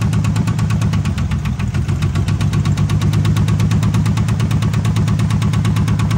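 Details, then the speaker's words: 1978 AMC Hornet parts car, loud lumpy idle with an uneven stumbling beat under two per second and shaking; misfire, numbers one and two cylinders suspected to have issues. "yeah something something is off number one and a number two cylinder got issues"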